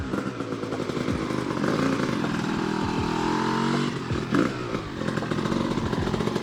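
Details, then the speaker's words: Honda CR250R two-stroke, first start after years of sitting with a fresh top and bottom end rebuild, on premix: revs rise and sag with a brief stumble and won't idle without throttle; owner suspects the carburetor idle adjustment. "all right guys she runs and it's [ __ ] nutty i can feel the power band but it's not fully hitting because uh something with the carburetor like the idle adjustment i'm not the mess with it and um yeah because it doesn't stay idling"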